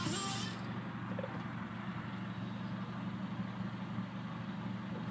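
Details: 1994-96 Honda Accord, warm on a hot day, after resoldering main relay connections to fix hot no-start: short rush as it catches, then steady even low idle hum with no stumble; starts and runs fine.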